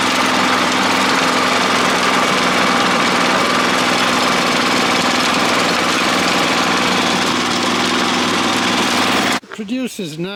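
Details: Honda F810 rotavator with tiller box, bought as a non-runner after two to three years standing in a field and revived: steady, even engine roar under tilling load, no knocks, misses or surging; running healthily.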